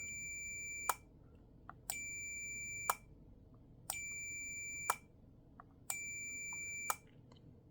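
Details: Arduino-built wind regulation controller for a pendulum master clock, switching back into day mode driving master and slave clocks: sharp relay clicks every two seconds, each with a high steady voltmeter beep, quiet room; switching normally.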